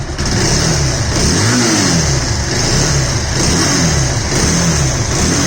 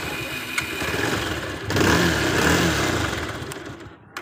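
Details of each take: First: Bajaj Pulsar 220F engine repeatedly blipped up and down with a harsh, rough, uneven note; customer complains of bad engine sound, cause not yet identified. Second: Bajaj Pulsar 220F after the customer-complained poor engine sound was fixed by resetting the timing and cleaning parts; catches after a short crank and settles into a steady, even idle with no knocks or rattles; sounds healthy.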